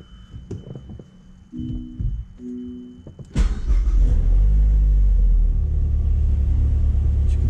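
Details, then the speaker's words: Mazdaspeed3 right after spark plug replacement: a few quiet knocks, then the engine starts right up and settles into a smooth, even, steady low idle with no misses; normal start and idle. "it started right up and idle is nice and smooth so that's how you can know that everything was done properly"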